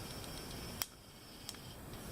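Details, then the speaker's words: Two isolated sharp pops about a second apart over a quiet background while 3D printing a PETG bird-feeder holder part; the owner suspects moisture absorbed by the PETG filament is making the hot end spit, and the popping keeps recurring. "Hear that popping? I think that's just moisture in the air getting into the, because PETG is fairly absorbable, likes to absorb water."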